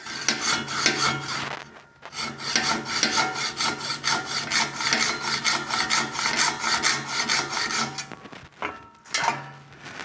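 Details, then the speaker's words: Hand hacksaw cutting a rearset part for a 1974 Ducati 750 GT frame: steady rasping strokes about two per second, bright and scratchy, sound changing as cut progresses; slow cut because the piece was solid bar, not tube. "Oh, it was solid. That's why it took so long. It was a solid tube, of which there is no such thing."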